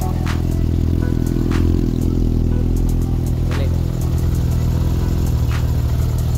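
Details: Yamaha XJR400 motorcycle after the valve clearances were reset to spec; they had previously been over-adjusted and were noisy. Low, even idle with steady firing and no top-end clatter under faint background music; the valve clearances sound right.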